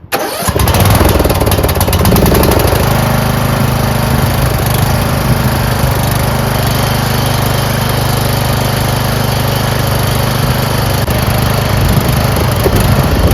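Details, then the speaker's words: Craftsman 30-inch rear engine rider mower started on choke, with its carburetor never cleaned and questionable gas in the tank. It runs rough with a sagging beat and soon stalls. The owner suspected the carburetor, fuel solenoid or bad gas. Fuel starvation stalling. "But something's going on in the carburetor, the fuel solenoid, or maybe the gas is bad. So, it starts, but it'll stall shortly."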